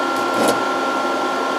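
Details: Variable frequency drive with long-idle capacitors being slowly reformed, supply about 110 volts, series light bulb glowing as capacitors charge: cooling fan running, steady even whoosh with faint constant whistle, no rubbing or ticking; normal.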